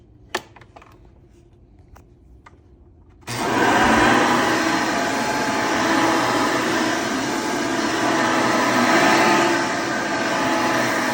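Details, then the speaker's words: Hoover Elite vacuum test run after motor replacement with a new motor: quiet handling, then a smooth, steady whir with no grinding; sounds beautiful, running healthy. "Sounds beautiful."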